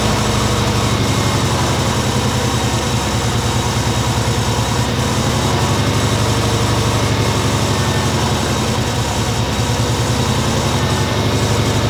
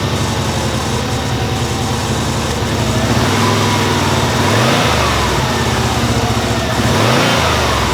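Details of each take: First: Subaru Legacy B4 RSK (BE5) twin turbo, started after starter replacement and charging a long-discharged battery: steady, even idle rumble with a constant low drone, no knocks or stumbles; normal idle. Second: Subaru Legacy B4 RSK (BE5) twin-turbo at first start-up after sitting, fuel pump relay refitted: slightly uneven idle with a steady whirring rattle from a noisy AC compressor pulley; owner expects the roughness to smooth out; timing belt due.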